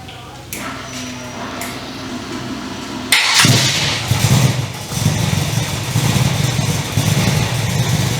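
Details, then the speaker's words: 355 stroker V8 in an HX One Tonner, first start after sitting 11 years since its dyno run: brief cranking, then it catches within seconds and settles into a steady, lumpy idle; surprisingly easy, clean start. "Okay, so she started. So that was pretty easy actually. I was actually surprised how easy that started."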